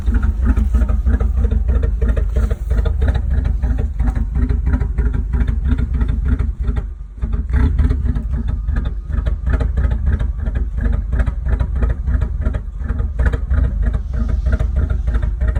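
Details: 1984 Firebird/Camaro V8 rough idle: deep rumble pulsing irregularly and briefly sagging as if about to stall.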